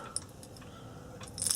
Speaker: hear it rattling around. It's definitely bad.